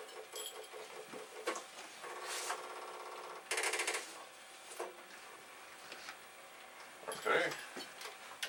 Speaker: So, we have one. Oh. That doesn't sound good.